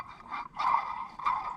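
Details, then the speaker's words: Old water pump removed from a 1988 Ford Ranger 2.9L V6, which leaked from the front seal, spun by hand: dry, rough whirring hiss with no smoothness; dry water pump bearing. "it sounds like the bearing's dry. Yeah."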